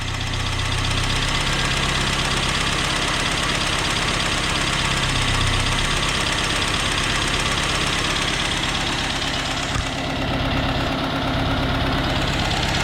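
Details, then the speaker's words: Freshly rebuilt engine at its first start after installation in the car, running and slowly warming up. A light, quick clicking of about three per second rides over the idle. "Let's take you with me here and open this garage door. It's a little clicky."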